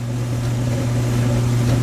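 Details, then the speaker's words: Whirlpool Duet gas dryer after replacing the bad igniter and gas valve solenoids: burner lit, smooth even low hum with no rattles or clicks; dryer running normally again. "And so now it's working again."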